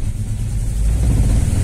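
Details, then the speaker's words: Engine burning oil, suspected worn rings, with oil reaching the spark plugs; after refitting used plugs it runs again but a low lumpy rumble rises unevenly, still missing; misfire. "tá falhando alguma coisa ainda"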